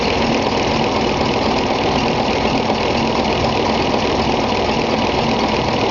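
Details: Gardner 5LW diesel in Bagnall locomotive 3207 Leys at Foxfield, second start-up after engine overhaul: steady even idle with constant beat, no knocks or misses; normal diesel idle.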